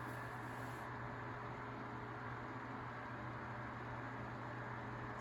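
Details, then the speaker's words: Tatung 12-inch LC-12 oscillating fan, heavily used and dusty, acrylic blade: normal running with a distinct quiet whirring motor sound like old Galaxy fans and a faint steady hum, no ticks or rattles; otherwise near silent. "so it has that really distinct whirring sound kind of similar to the galaxy fans"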